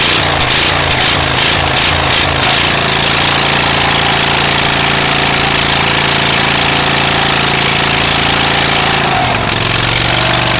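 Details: Rusty auction John Deere riding mower, first start, choke seized: loud, raspy, uneven engine with harsh open exhaust bark; holes in the muffler make it noisy.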